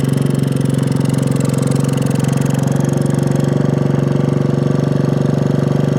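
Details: 1965 Honda C100 Cub 50cc single, neglected for decades, kick-started after revival, still needing tuning and cleaning: putters at a fast idle near four pulses a second with slightly uneven beats; rough running, cause unknown.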